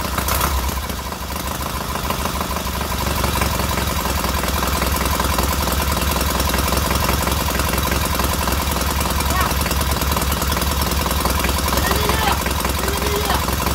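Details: Freshly rebuilt K750 twin on first start-up, after a minor ignition fault stopped an earlier attempt: even, steady putter at idle, both cylinders firing regularly with no misses and heating equally; normal healthy idle.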